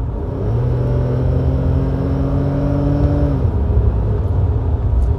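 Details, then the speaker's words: BMW E32 with ZF 4HP22 EH 4-speed automatic after valve body cleaning, refilled with nearly 5 quarts. Kickdown at about 80–85 while driving: engine note climbs as it drops a gear, then settles cleanly with no flare or slip. Normal kickdown shift. "But now with nearly 5 quarts, I get super smooth shifts."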